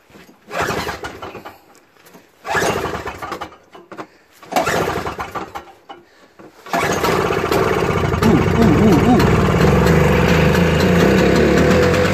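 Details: Toro 38602 Snow Commander snowblower after a primer bulb replacement and auger/drive cable adjustment, with the electric starter removed (stripped gear): three pull-start attempts, then it catches and settles into a steady, even run with a regular beat. Normal running.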